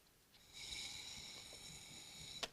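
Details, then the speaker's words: GS1000 vacuum fuel petcock tested by blowing through it: thin, steady hiss for about two seconds in ON position, where it should seal, so it leaks. "know if you can hear that but you can slightly and again on reserve and again it's leaking but not not as bad as these in the on position"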